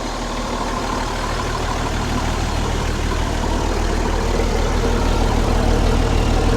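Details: Ex-army International ACCO 6x6 truck diesel, heard at the exhaust: a deep, regular idle of about three pulses a second that stays even as it picks up slightly; it runs nicely.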